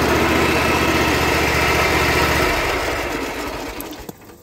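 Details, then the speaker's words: Dixie Chopper mower, carburetor cleaned, running off one tank, at startup: steady fast beat near four per second then winding down; owner suspects a dry, failing PTO clutch bearing, not confirmed. "but I think the bearing on the PTO clutch is going out let's see if it'll start and I'm probably going to need a starter you hear that that dry bearing"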